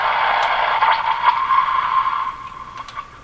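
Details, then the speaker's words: Electrohome floorstanding tube radio during IF alignment check: wavering, warbling tone near one pitch over garbled, muffled audio that fades; IF stage on the edge of breaking into spurious oscillation. "it's close to breaking into oscillations what it is"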